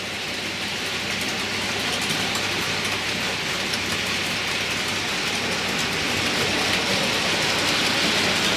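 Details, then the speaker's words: Model railway loco after updates to improve running: a steady, even rolling hiss with a light regular click of rail joints, about four a second. No banging or rattling; normal smooth running. "And as you can hear, no banging and rattling. Fairly quiet, so quite pleased about that. All running smoothly."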